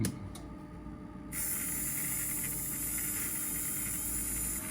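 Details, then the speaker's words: Motor from a 1964 Athearn F-unit model locomotive, bench-tested after the loco refused to spin. It spins up to a smooth, steady hiss with no knocks or catches and runs freely, though it might like some oil. "I don't see anything wrong with that. Maybe you'd like some oil, though."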